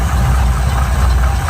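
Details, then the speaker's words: 1971 Chevy pickup with points ignition, power steering and power brakes, at idle. Deep, even V8 burble with no knocks or misses; runs nice and smooth; normal idle. "That really runs nice and smoothly."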